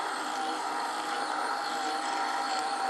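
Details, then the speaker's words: EQ20 bobbin winder filling a size M bobbin; steady, even high whine with no catches or surging, meaning good thread tension and smooth normal winding. "to hear it whine a little bit that means it's putting it on with lots of nice tension but you can see that the thread is going up and down filling up your bobbin really nice and smooth"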